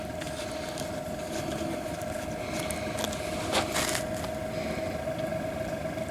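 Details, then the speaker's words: Diesel air heater after motor upgrade from steel-can to rebuildable motor, just ignited after fuel reached burner: steady mid-pitched blower hum with faint irregular rattle underneath; rattle while running. "i can hear it rattling already"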